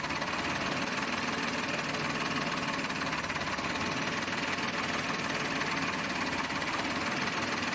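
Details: Toyota Wigo automatic with low power: engine idles with an uneven, slightly lumpy beat and an occasional stumble under a loud steady hiss, consistent with a misfire at idle.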